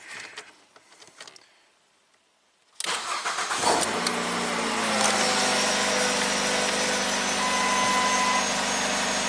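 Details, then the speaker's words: 2009 Ford Fusion, previously a no-crank after owner tampering: after replacing a blown fuse and flipping a reversed diode, engine catches at once and settles into a steady even idle with no stumbling; starts normally. "Is that it? One blown fuse and one flipped diode. Insanity."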